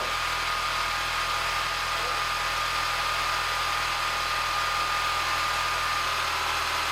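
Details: Peugeot 207cc after slipped timing and resetting the timing: even, steady idle drone with a faint constant whine on top and no knocks or misfires; idling smoothly.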